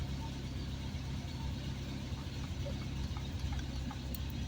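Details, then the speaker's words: 1970s Triumph Spitfire started after sitting a couple of days, small four-cylinder at a steady, even, low idle with no knocks, misses or squeals; a healthy, good-running old car. "Good running old car."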